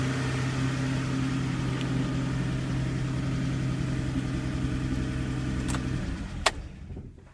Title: Porsche 930, Possible Valve Train Noise at Idle - 2